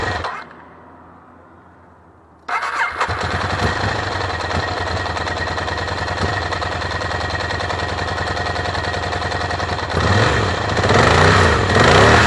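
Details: Motorcycle starts quietly, then runs with an uneven, lumpy beat instead of a clean rhythm; rough running with no engine warning light on, cause unknown.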